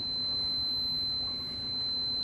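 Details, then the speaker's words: Giandel 1200W inverter on a running RAV4 Prime after a 900 W charging test: piercing high beep that holds, drops out, then returns, overload alarm sounding with nothing connected; owner thinks the inverter is broken. "Why does it keep on saying overload? And I think I like broke this inverter, man. It does not want to charge anymore. I don't have anything hooked up to it. It just says overload. Even though it's not overloading."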